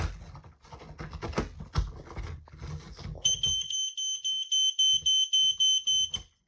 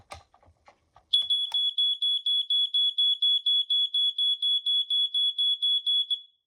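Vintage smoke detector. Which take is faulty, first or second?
first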